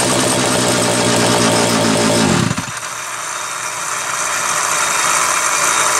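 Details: Homelite 330 two-stroke chainsaw, formerly trash-heap bound: screams at high revs, then drops cleanly to a steady, even idle; smooth and healthy.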